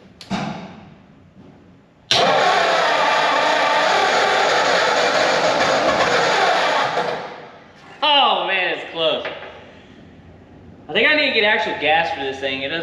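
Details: 1944 Ford flathead V8 ambulance sitting over 30 years, radiator removed, started from outside: starter churns about five seconds with ragged half-firings that never catch; cranks but won't start, cause suspected, not confirmed.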